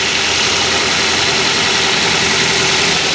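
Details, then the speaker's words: Car engine just after a cold start: steady, slightly raised idle to reach working temperature faster, even and smooth with no metallic tapping; normal cold idle. "pastikan suara mesin halus tidak ada ketukan-ketukan ketika mesin baru dinyalakan RPM agak tinggi atau idilnya agak tinggi untuk agar ee Ikin normal agar nanti cepat mencapai suhu kerja mesin"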